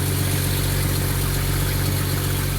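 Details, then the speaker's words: Jaguar XJ-S V12 HE at idle, mic at right-hand tailpipe after re-jointing a cheaply repaired exhaust: steady smooth idle with low drone underneath; owner suspects a back box blown at 5,500 rpm; exhaust drone. "this is the right hand tail pipe there is a slight bit of a drone underneath"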